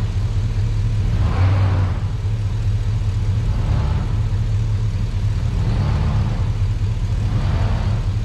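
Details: Truck after sitting a while, in cold weather: even V8 idle holding steady with no misses, knocks or stumbles; a normal idle.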